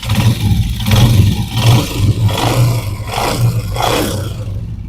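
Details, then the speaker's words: 125 cc single motorcycle engine after fitting oversize ring and new rubber so the pin no longer knocks: smooth revs up and down, no tapping or knock; normal, healthy engine revving after repair. "देख सकते हैं माशाल्लाह ज़बरदस्त साउंड हो चुका है।"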